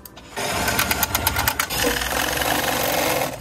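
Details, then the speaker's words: De Havilland Dash 8-300 (DHC8-314) stall warning test. The stick shaker rattles steadily for about three seconds, then stops once the test switch is released. Normal stick shaker operation. "Et après avoir releasé la switch, ben on s'assure, c'est du gros bon sens, que tout est revenu dans l'ordre et que ça a arrêté de shaker."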